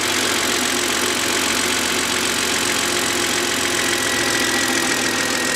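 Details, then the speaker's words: BMW 130i warm idle after clearing four sensor fault codes, engine light off: even steady idle, light uniform valvetrain patter, no knocks or misses; sounds healthy. "let's fire the engine up the engine management light has gone off for the time being I mean just have a listen to this engine doesn't it sound absolutely sweet"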